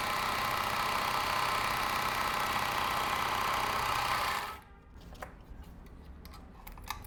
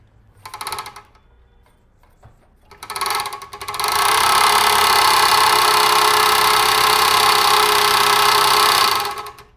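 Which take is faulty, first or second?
second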